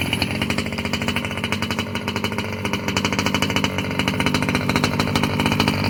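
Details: Losi 5B with OBR 34 two-stroke motor, first fire-up after rebuilding the bottom end following a failed crank bearing: fast, even buzz with steady firing rhythm climbing slightly, no knocking or rattle; the earlier terrible noise seems gone.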